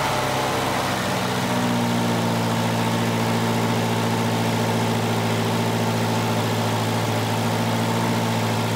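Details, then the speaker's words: 1985 Volvo 240 with straight-through idle air control valve, LH2.2 injection: fast, steady idle with a slight ticking exhaust leak underneath; high idle from a sticking idle air control valve; vacuum leaks around the intake manifold are the first thing to check. "now if it was really high idle earlier the first thing you want to check for is a vacuum leak"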